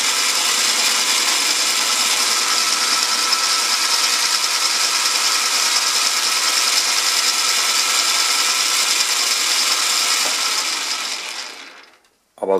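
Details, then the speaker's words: Ariston lathe spindle running after the front spindle bearing was scraped: smooth, even hiss with no rattle or knock until shutdown; the previous clatter is gone, running much quieter. "hier kann man das jetzt ziemlich gut hören der Lauf ist viel ruhiger das plackern ist weg"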